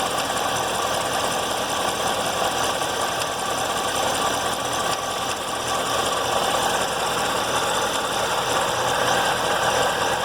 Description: Listen Closely and you will hear an unusual tapping/knocking noise. It sounded like a loose marble inside the motor.